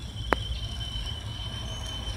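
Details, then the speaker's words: 1996 Ford Taurus after a makeshift water hose leak repair with half-inch pipe and clamps: thin high steady squeal over quiet engine hum with one sharp tick early; the patched hose then popped off one side. "she's screaming right all right we'll check this out and see what's going on"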